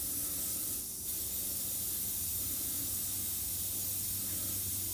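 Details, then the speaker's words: 1969 VW Bug, new air shock pumped to 90 PSI and too high, slowly bled to lower ride height: steady, even hiss of escaping air with no engine running; normal pressure release. "That's a lot of air. So what I'm gonna go ahead and do is just slowly bleed it out to where I like it to be."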